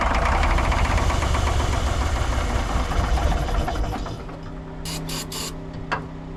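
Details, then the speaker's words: Long-parked cabover diesel truck, owner suspects two injectors not firing; hard roar with dense steady clatter ignoring the pulled fuel shutoff, then slowly winding down, possible oil pressure line leak after: diesel runaway. "Shutting that uh fuel thing off did nothing. She was just running."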